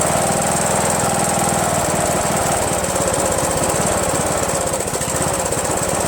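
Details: Rebuilt Briggs & Stratton 17.5HP engine in Yard Machines lawn tractor, after bypassing kill-switch wires on magneto lead, no belt pulley: loud uneven, lumpy chug about four beats a second, no clear pops; owner suspects fuel starvation, possibly carburetor solenoid blocking passage.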